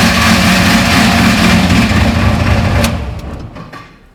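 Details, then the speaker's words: Drag race car with a torque converter already suspected after slow boost build-up, heat and slower-than-expected passes: loud, rough churning rattle under the car with a steady beat that dies as the engine shuts off. Something is breaking apart inside the converter. Torque converter failure. "i won't let it run for long but as you can hear that converter is destroyed uh something's flowing apart in there"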